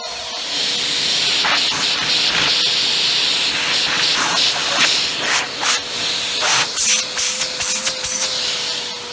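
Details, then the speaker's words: Bissell PowerForce Helix 2191 bagless upright vacuum, trash-picked; belt or roller brush likely faulty, but suction tested by hand over the intake: steady high airy rush with a faint constant tone, dipping as the opening is blocked and freed. Excellent, healthy suction. "excellent suction actually so that's really good"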